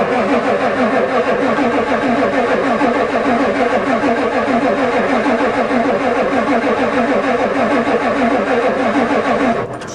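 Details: Ford diesel truck at +4 °C, steady cranking about three beats a second, never catches, then stops; the new glow plug controller never clicks, owner suspects it doesn't work.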